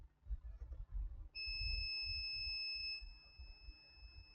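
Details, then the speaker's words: HP ProBook 645 G1 laptop motherboard with no power: steady continuity beep as the meter shows the 19 V rail shorted to ground, near 0 ohms; on the supply it drops to 1.9 V drawing 3.2 A. "so the May 19 horsepower rail is shorted to ground as soon as I connect to the power supply there's voltage drop to 1.9 and is taking Mass current which is 3.2 amps"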